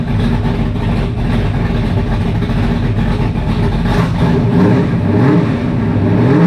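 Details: 1985 Mustang GT Fox Body with fresh 347 stroker V8, carburetor, open headers, first fire; loud lumpy but even idle with a couple of blips, no knocks or misses; sounds healthy, normal idle.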